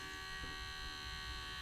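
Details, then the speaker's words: Water-cooled Goped scooter's new electric coolant pump, just switched on and primed, air purged from the cylinder: quiet steady high-pitched whine, no surging; pumps much faster than the old pulse-powered pump, then speeds up on its own. "look at that oh it's good huh that's way faster it's kind of impressive actually pump speed"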